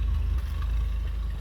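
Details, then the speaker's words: 1954 Nash Airflyte two-door sedan cold start at 36°F with exhaust heat choke: low, even, steady rumble with no misses or knocks; idling smoothly. "okay I think it's going to idle yes it is idling barely oh baby that makes me happy let's see oh it's she smooth you hear"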